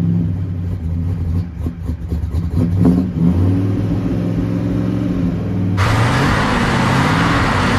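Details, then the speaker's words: Freshly built Mopar big block V8 in a 1967 Dodge Coronet 500 convertible, after fixing valves not closing fully: deep even rumble that blips up and settles back, no ticking or exhaust puffing; runs smoothly. "foreign sounds good though runs nice"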